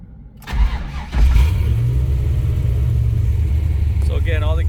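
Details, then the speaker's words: 1968 Chevrolet Chevelle with tuned LS2 (custom Crower cam, AFR heads, LS7 rockers, Holley ECU, high-pressure oil pump) and Tremec 5-speed: short crank, catches within a second, then deep steady even rumble at idle with no misses or knocks; idle's great. "all the gauges work. Idle's great. Need to put some gas in it."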